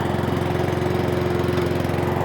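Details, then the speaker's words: Cobra self-propelled lawnmower: after four pumps it starts first pull and runs with a steady, even single-cylinder putter, no misses or surging; carburettor dry, no leaks after half an hour. Normal running. "Give it 4 pumps. Fire it up, fire it up. Give it a pull. That's what Terrell says, yeah. First pull. Woohoo!"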